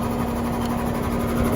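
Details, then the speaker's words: Outdoor AC condenser during dynamic dual-capacitor test with system running (393 V, 6.7 A at compressor); steady droning hum with flat electrical tone and no speed rise; condenser fan motor dying, later replaced. "all right now i'm going to do the same thing with the motor that's a fan mode it sounds like it's dying"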